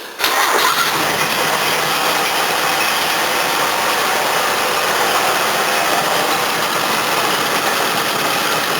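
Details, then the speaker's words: 1981 Toyota Corona RT132R, 18R-C engine, cold start with choke turned down one stage: uneven hunting idle with busy top-end clatter, bonnet wobbling; valve clearances found too tight before tappet adjustment. "Let's turn the choke down one stage. Yeah, it's not running very well. It's about to show the bonnet wobbling around everywhere."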